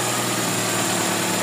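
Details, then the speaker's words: Newly overhauled Toyota GLI that misfired with low power, after repair: even, steady idle with no stumbles or skips; no more misfire. "Okay na yan. Wala ng pugakan. Matin na. [Palakpakan] [Musika] Wala ng kamispire miss fire."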